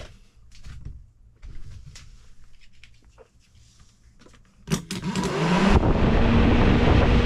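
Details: 1995–2000 Ford Contour electric cooling fan tested for a 1994–95 Mustang fan swap; handling noise, a clunk as the fan kicks on, then spin-up to a steady, even whoosh. Normal fan operation.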